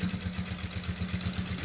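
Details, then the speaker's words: Sewing machine stitching a thick seam with no soap yet on the cloth: firm steady thud-thud needle knocking about eight a second; soap and machine oil on the fabric soften it and prevent needle breakage. "थोडासा आवाज वाढलेला आहे म्हणजे जिथ आपण साबण लावली होती तिथं सॉफ्ट आणि स्मूथ मशीन चालत होती"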